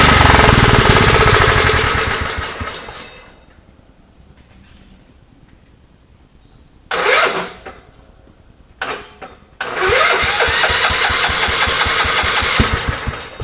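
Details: Scotts riding mower after cleaning pine straw out of the clogged fuel filter: cranks and runs raggedly, cuts out, then catches again with uneven popping; runs on its own but still not right, backfiring through the carburetor.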